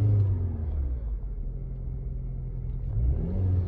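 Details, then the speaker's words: 2012 Range Rover Evoque, 2.0 EcoBoost (Ford Escape engine), 140,000 miles, check engine light with single code P0304; deep lumpy uneven rumble under throttle, stumbling rather than pulling, engine misfiring and not happy, cause unconfirmed. "did have a check engine light on pulled the code P0304 only the one code but this thing's not happy at all"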